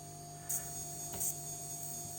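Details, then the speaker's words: Capcom pinball machine's switch-mode power supply for the DMD: steady thin high whine over a lower hum with no rhythm; suspected to come from the supply varying current with the display load. "hear that yeah like an electronic noise coming from a power supply because I suppose it's varying the current based on the load on the DMD at any point"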